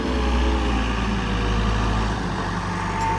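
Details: Diesel loader just bought at auction, about 2,000 hours shown, oil clean, not smoking: a steady, even low drone with no knocks or misses; normal diesel idle.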